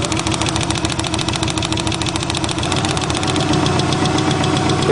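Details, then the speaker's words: 1990 Subaru Legacy flat-four, first start after sitting 2 years: uneven lumpy idle with a faint tapping, sounds like three cylinders, though unplugging wires showed all cylinders working; rough idle, cause unclear. "it sounds like it's on three cylinders for some reason doesn't sound right"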